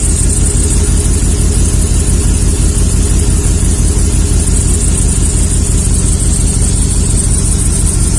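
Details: 2003 Chevy Silverado 1500 HD 5.3 idle: loud, deep, slightly uneven beat with occasional stumble; cylinder 4 misfiring because injector 4 flows less fuel than the other seven; injector flush did not help.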